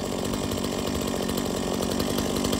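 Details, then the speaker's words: Stihl MS 170 chainsaw after service (new spark plug, air and fuel filters, fresh fuel, tank cleaned): small two-stroke buzzes at a steady crisp pitch with no stumbling, starts and runs well and shuts off with the switch; normal running. "okay so this little still ms170 starts good it runs good it shuts off with the switch again"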